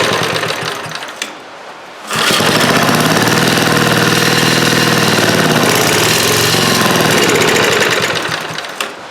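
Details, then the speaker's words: Old eBay generator with a leaking gasket: catches on choke and runs at a steady, fast chug for several seconds, then dies; owner suspects the carburetor or fuel pump and says the governor is not regulating speed. "That seemed like it kind of worked with the choke on. Well, I think the carburetor still needs some work."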